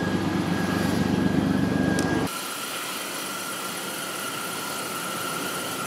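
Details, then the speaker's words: 2000 Chevy Blazer that ran terribly and set a P0300 misfire code, first start after the repair; steady, even idle for about two seconds with no stumble, and no misfire felt; smooth idle. "but it sounds a lot better I don't feel a misfire like I said I was just dying to know how does it run now it seems to run pretty good"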